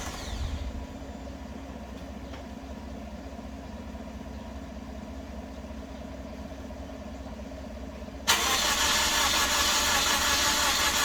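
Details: Toyota Corolla cranking steadily, about three beats a second for eight seconds, with sputtering exhaust but not catching; turns over but won't fire, owner later suspects it was flooded, as it ran after sitting a while.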